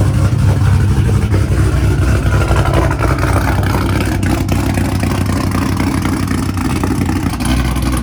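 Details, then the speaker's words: Car sitting unused through cold weather, after a hard cold start and fuel pump priming: deep, steady rumble settling into an even idle pulse of about four beats a second, no misfire; normal idle. "Alright, now she's idling, she's doing good."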